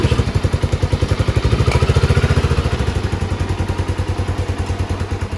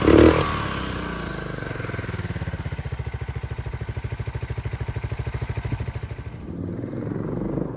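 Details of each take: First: 1997 Suzuki Savage 650 single, one owner, 2,000 miles, parked since 2001, before repair: runs only while starter fluid is sprayed into the airbox. A slow thumping at about 3.5 beats per second fades and falters. Spark and compression are good; the carburetor jet is clogged. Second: 1997 Suzuki Savage 650 single, 2,000 miles, parked nearly 20 years, after a full carburetor clean and a new battery: even, steady thump at a relaxed idle with no misses or clatter, then it fades; runs clean and healthy.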